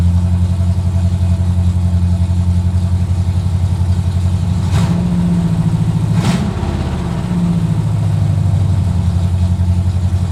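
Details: 1970 Corvette with freshly rebuilt V8 (AFR heads, Clay Smith cam, hydraulic roller lifters, Harland Sharp 1.5 rockers, new headers), first run after six months: deep slightly lumpy idle with two quick throttle blips rising and settling cleanly; normal idle.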